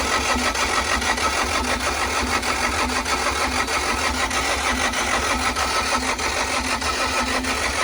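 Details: CAT 307SSR mini excavator, Mitsubishi engine, after fuel injection pump installation to fix a no-start: diesel settles into an even, steady clatter with a firm low thrum and no misses; normal running.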